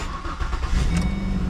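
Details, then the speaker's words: Ford Escape started after replacing the exhaust manifold gasket, where a part was missing, a nut gone and others only hand tight: a low, even idle, much quieter, with no exhaust puffing or ticking. Some lifter noise is expected to remain. "oh wow man check that out do you hear that I hear that yeah that's amazing that's so much more quiet"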